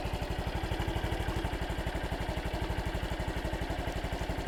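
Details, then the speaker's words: 2013 Honda Super Cub 110cc clutchless-manual motorcycle, first cold start of the day: very quiet, even single-cylinder putter at about four beats a second with no misses or clatter, slightly louder than a Scoopy moped; normal cold idle. "very quiet. It's a little louder than the Scoopy moped, but not by much."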